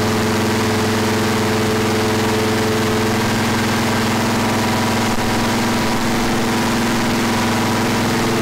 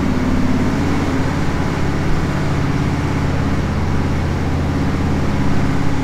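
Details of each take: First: Freshly rebuilt 461 cubic inch V8 for a 1974 Pontiac, first start after fuel and water leaks fixed, initial timing checked before break-in; deep steady even idle, no misses or knocks, settling well after start-up. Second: Freshly rebuilt 461 cubic inch Pontiac V8 on dyno after break-in, first untuned mini pass under load: steady flat, thin drone, climbs slowly; extremely lean everywhere, a bit hard starting, otherwise runs great; fuel pressure to be checked.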